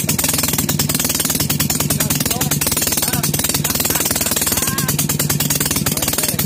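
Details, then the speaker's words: Maytag Model 72 engine, first start after complete rebuild with new rings: rapid, steady, even popping beat, firing without misses; normal running, expected to improve as rings wear in. "but if it would run just a little bit I think it run in real good you will then improve as it rubs rings"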